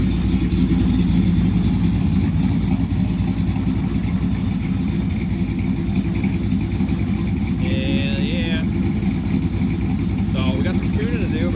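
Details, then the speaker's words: Ram 1500 with 5.7L HEMI fitted with a 6.4L HEMI intake manifold from a Ram 2500, 6.4 injectors and temporary intake, just installed and running: deep, even choppy idle lopes about three to four times a second, no knocks; normal cammed idle. "We got her all in, installed, running. Came up with a little temporary intake for now. But it is in there. Here's what it sounds like chopping away."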